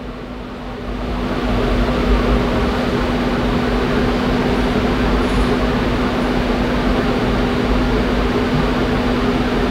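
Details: 2014 Infiniti QX60 during engine computer software update for P0101 code, battery around 11.9–12 V: steady loud whoosh of air with constant low hum; radiator fan running normally during the update.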